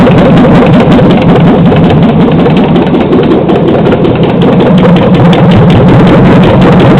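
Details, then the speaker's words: 2007 Chevy Silverado 5.3L LH6 aluminum-block AFM/DOD V8, run on an engine stand with a swapped harness, about 644 rpm; loud, fairly regular light valvetrain tick over the idle rumble; owner suspects lifter tick, hopes not rod knock. "oh turn it off definitely got some kind of tick I would say lifter tick probably pretty sure"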